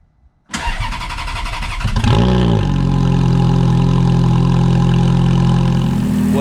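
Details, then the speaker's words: Ferrari F430 V8 after changing factory platinum spark plugs to iridium for a light misfire: starter cranks briefly, catches easily with a quick rev, then settles into a smooth even idle with no misfire; exhaust tone seems slightly different. "as all you can hear good times the f-430s up and running i don't hear a hint of a misfire i will say that the exhaust tone does seem a little bit different"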